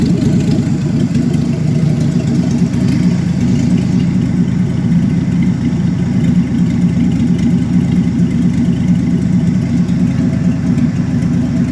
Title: Impala 1966 l6 250cid rough idle